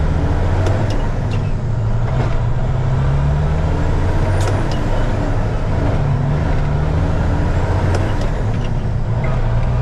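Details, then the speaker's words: 2000 Freightliner FLD120 diesel pulling away in first gear with the fan clutch engaged; a loud constant roar of air from the cooling fan drowns the engine, turbo inaudible until the fan disengages. "camera but it's really loud all right I'm going to leave the fan on and take off right I'm going to start right out in first"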